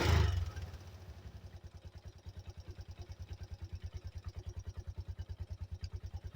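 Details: 1985 Yamaha Moto 4 ATV after old carburetor replaced with a new one; a bang at start, then an even, steady single-cylinder thumping idle at a few beats per second, running quieter than ever: normal idle.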